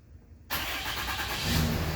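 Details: 6.7 Cummins after a crank-no-start with uncleared cylinder 1–4 injector-open codes, thought to be caused by a discharged battery. With the codes now cleared and no charger on, it catches almost at once and settles into a steady clatter: a clean, quick start.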